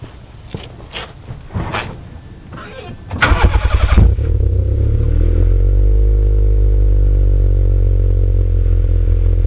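After a few cranking clunks the engine catches and runs with an uneven, stumbling beat under its low drone, pointing to a misfire.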